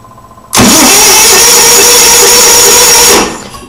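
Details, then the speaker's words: Onan generator, spark confirmed, no fuel smell at the carburetor: about three seconds of steady cranking whir that never catches; cranks but won't start, fuel pump determined bad. "so not much of anything but that's what it was doing but the good news is is that we determined for sure that I had a bad pump and they determined for sure that I had spark"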